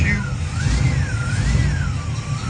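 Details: 1969 Pontiac Firebird V8 at first start-up after fixing a spark plug misfire, timing not yet dialed in: deep steady idle with even beat, no skipping or stumble; normal idle.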